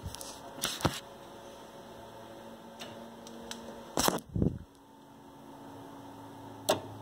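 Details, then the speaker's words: Nissan Leaf Gen 2 battery, motor, inverter and power distribution unit running on a workshop pallet with a separate controller, no car: sharp clicks, then a solid double clunk over a faint hum as the main contactors pull in. The system powers up normally. "you hear that that's the main throttle coming in so the main contactors coming in meaning this is all happy"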